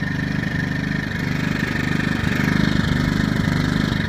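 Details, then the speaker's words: Yamaha EF2000iSv2 inverter generator at low idle, no load; steady whine with a chugging lean miss stumbling roughly every second, which goes away with the choke slightly pulled and under load; owner wonders if the exhaust is plugging up. "I just don't like this miss you know every time it's a Miss maybe the exhaust is getting plugged up"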